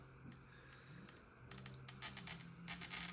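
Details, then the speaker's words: Stained-glass score on harder ruby glass at about 5 pounds of pressure: a crisp, crackling fizz as the wheel bites. When the score goes quiet, pressure is raised slightly to keep the wheel biting. A clean, normal score. "you go in about 5 pounds. And here, you hear the score goes quiet. So I push down just a little bit more, not a lot, just a little bit more, just so you retain the bite of the wheel through this harder glass."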